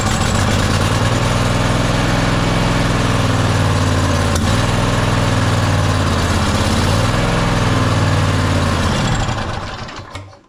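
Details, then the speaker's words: Toro Timecutter SS5000 zero-turn (model 74731), Toro-branded Loncin engine, running on carb cleaner: catches and runs roughly, halfway decent, about nine seconds, then sags and stalls. Likely cause is contaminated fuel and clogged carburetor jets; fuel pump apparently already replaced, filter flowing. "it burn off the carb cleaner and then it died on me if you notice it ran just for a little while halfway decent"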